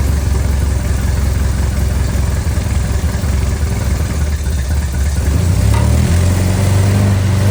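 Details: Austin-Healey Barn Sprite, new 1275cc A-Series engine on its first start, before ignition timing is set: a fast, busy idle that holds and then drops slightly near the end. Idle speed set too high.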